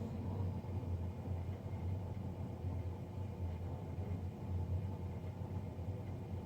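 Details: Navien NCB-240 combi boiler running; a steady low droning hum with an even rumble and no knocks, the combustion fan noticeably too loud.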